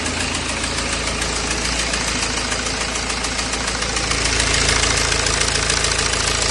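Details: BMW E92 320d with N47 diesel idling: a fast, steady light tick of about three per second rides over the diesel clatter; source of the tick unknown.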